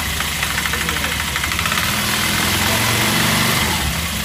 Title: Стук в двигателе Cectek